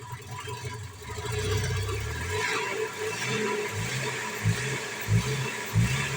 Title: Tacoma V4 1999 Engine difficult to start and engine misfire 🤯🤯